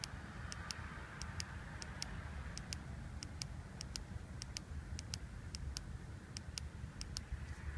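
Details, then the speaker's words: Mitsubishi Lancer Evolution 560cc fuel injector on the bench, seals removed, pulsed by hand with a toggle switch; crisp, sharp clicks in quick pairs over a faint hiss, a good injector opening and closing properly, unlike two dead ones. "Again, we have an audible click."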